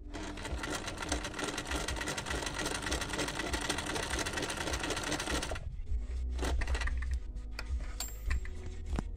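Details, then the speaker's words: Chaika 144A sewing machine after repair, sewing silk at stitch length 3: fast even needle chatter about five seconds, stopping cleanly; no skipped or pulled stitches, smooth normal stitching. "тройка тоже самое ни одного пропуска ни одной затяжки не"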